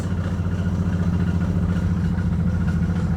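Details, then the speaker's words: Car with a replacement engine that blew up: rough, uneven idle with a heavy low clatter about three times a second, oil smell; major internal engine failure suspected, car then would not start. "Major engine failure. Right now. She's done. What is that noise?"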